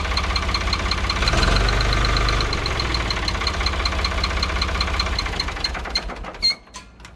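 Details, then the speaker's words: 1985 Ford 545A backhoe, 3-cylinder Ford diesel, cold start after rebuilt injector pump installed: steady, even chatter, firm low throb, no misses or knocks, then clean shutdown; hydraulics very slow; normal diesel idle. "Well, she's running good, but that hydraulic pump is really slow."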